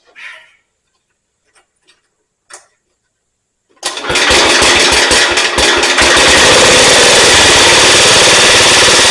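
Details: Cub Cadet Original with single-cylinder Kohler K161 after tune-up (new head gasket, rebuilt carburetor), first start: a few quiet clicks, then it fires at once and settles into a loud, even, steady run with no misses; normal running.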